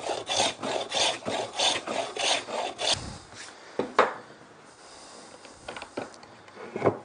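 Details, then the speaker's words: Hand plane with blade corners taken off, working skewed across a timber chopping board: early strokes are patchy hit-and-miss bursts, then settle into one steady unbroken hiss; blade in full contact and cutting cleanly, surface smooth. "after a few runs what you'll hear is a constant sound of the blade cutting you can hear that it's constant contact with the blade and the timber"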